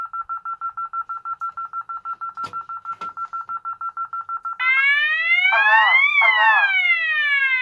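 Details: Tyco/ADT Safewatch Pro 3000EN alarm panel test, armed away with Klaxon Nexus 110 voice sounder: steady fast beeping about three per second, then a loud rising and falling siren as the entry delay ran out without disarming, panel in burglary alarm.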